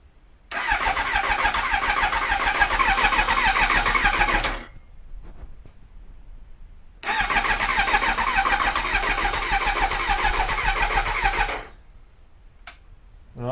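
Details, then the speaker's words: Kawasaki ZX9R E2 after rebuild with new oil and filter, cranked on the starter with the fuel pump disconnected to circulate oil: two steady four-second cranking bursts, no firing. It is turning over cleanly and normally. "What I'm going to do now is start it up. Well, not start it as such, but turn it over, just to get the oil around all the galleries and everything."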